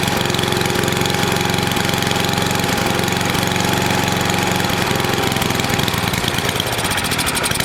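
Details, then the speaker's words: NOMA 8hp snowblower single-cylinder engine with the plugged gas line blown clear, now warmed up for an oil change: a steady, even chug with no stumbling or surging. It runs okay. "so so well it's running okay got it warm enough to get the old oil out of it so we'll do that"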